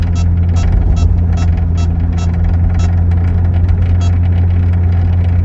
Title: Ball bearing rattle noise 09 C6 65k miles